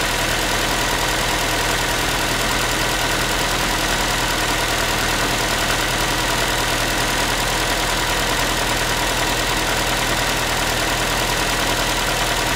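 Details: Ford Focus 3 1.6 (125 hp), manual, idle after cold start: tinny rapid metallic rattle over the top that follows the engine; cause unknown, owner asking what it is.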